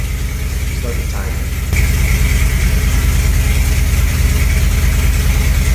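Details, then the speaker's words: 1963 Corvette split-window V8, first start since 1981, with timing well retarded: lumpy, slightly uneven, heavy idle with no crisp firing; rough idle from late ignition timing. "so now that we got it running the big problem is getting it timed right because it's way out so we have the timing late on it"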